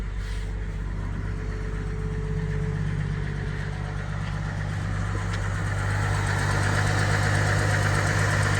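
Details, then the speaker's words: 1959 Chevrolet 235 inline six on a temporary fuel jug after tune-up, still on high cam with choke: smooth, even idle with steady rhythm, no misses or knocks; normal idle. "It's a nice, smooth little 6-cylinder. Good old 235. Still on the high cam with the choke."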